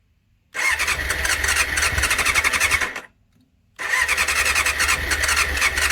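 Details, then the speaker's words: 1989 Honda CBR600 restoration, cleaned carbs, fuel primed, choke on: two spells of fast cranking each stopping dead without sustained running; throttle seems to kill it off, before it eventually starts. "Fuel seems to kill it. Throttle seems to kill it off."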